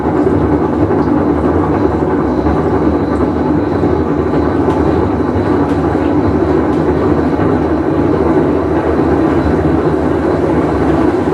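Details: Whirlpool Cabrio washer with bad bearing, full wash cycle; steady heavy rumble with faint rattle as drum turns; tub bearing rumble.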